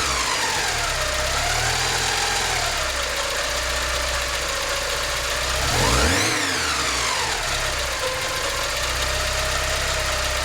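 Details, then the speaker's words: Porsche 944 after head gasket replacement and reinstalling cleaned fuel injectors (injector issue resolved): steady, even four-cylinder idle with one brief rise and fall, no misfire or stumble; firing on all cylinders, before compression test. "with the injector issue resolved the engine is firing on all cylinders nice"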